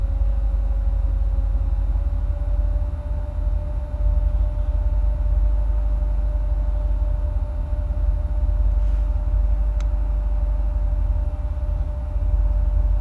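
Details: 2008 Corvette C6, automatic, tuned, with cold air intake, long tube headers and no cats, plugs recently changed: loud open-exhaust V8 idle, low lumpy rumble with brief speed dips; rough hunting idle, owner notes rpm dances when fans kick on, cause unknown.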